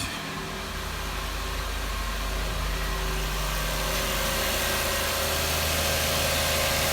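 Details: 2006 Lexus RX330 V6 (3.3L/3.0L), started after a high-pressure power steering hose replacement and upper intake removal, to check for a check engine light: smooth, even idle with a steady hum and no knocks, ticks or hunting; sounds healthy.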